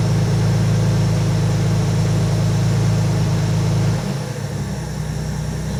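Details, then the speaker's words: TVR 3000M with Ford Essex V6, first start after new water pump, radiator, swirl pot and hoses, cold with good oil pressure: steady even low rumble, slight dip, runs smoothly; normal idle, still needs tuning. "water temperature of course is low and everything else seems to work fine and the engine runs fairly smoothly so uh yeah i'm happy with that we still have to tune it"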